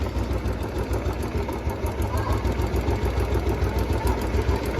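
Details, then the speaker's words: Royal Enfield Bullet 350, about 3,275 km, warmed up after adding Abro oil treatment: steady single-cylinder idle with a light regular tick about three a second from one side of the top end; cause unknown. "उधर की side से जो kid kid kid kid की आवाज आती है यहां से है वो आवाज हां यहां से वो आवाज और ये कंफर्म हो चुका है यही साइड आवाज कर रही है"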